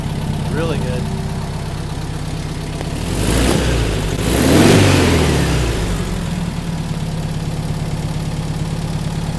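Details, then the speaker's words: Rebuilt 40HP air-cooled engine of a 1962 VW Type 2 bus that sat over 40 years: it revs up, then drops back to an even, steady idle with no knocks or misses, running cool and healthy. "yeah it sounds good man sounds happy now it's coming back to idle real nice"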